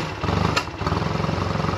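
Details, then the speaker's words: Honda Rebel 250 custom build, sat a couple days, jump-started with dead battery, cold: quick even single-cylinder putter at idle, slightly uneven until warmed; healthy cold idle. "it's got to warm up but it's min going to go for a little slow"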